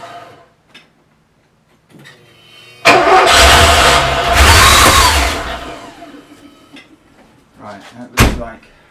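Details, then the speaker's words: Porsche 928 V8 after engine rebuild, coolant just filled, mixture screw untouched and a pipe possibly misrouted; cranks, catches, runs roughly for seconds with steady whine, very unbalanced running, mixture likely out of adjustment. "but it's gonna fire you can tell it wants to Fire and it's very unbalanced obviously"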